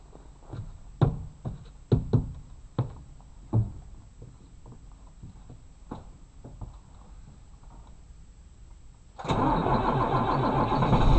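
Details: 1993 Blue Bird bus, International DTA360 diesel without glow plugs, cold start at 16 degrees after about 1.5 weeks sitting: slow uneven thumping crank about nine seconds, then fires to a steady rough idle; normal cold start.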